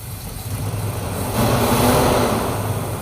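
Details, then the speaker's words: 1968 Chrysler Town and Country wagon, 440ci big-block V8, freshly revived with used fuel pump: lumpy, uneven idle rumble with a persistent miss; suspected big vacuum leak, timing at 0 degrees. "Still has a miss. Does it have a big vacuum leak? Well, yeah, that's a guess, and it's also at 0 timing."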